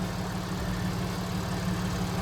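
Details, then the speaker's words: 2014 Audi S4 supercharged, after reconnecting unplugged sensors, check engine and TPMS lights on: steady even idle with low drone and light fine ticking, normal direct-injection injector rattle, engine running healthy. "It's running. It sounds good. It is rattling, but that's just the [ __ ] Audi injectors."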